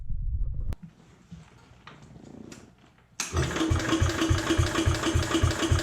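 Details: Jacobsen Chief 1000 tractor, Kohler single-cylinder (K241 fuel system work), after draining gas and new fuel line: brief cranking, quiet, then catches into steady thump about 3.5 beats/s; took a few cranks to get gas flowing, runs pretty good.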